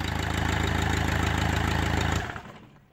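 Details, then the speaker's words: Land Rover Freelander TD4 diesel just after high-pressure pump replacement, primed and started to check for leaks: even idle knock about four beats a second, settled and regular, then shut off; normal idle. "make sure nothing leaks make sure everything's okay before I put everything else back on but it sounds good now"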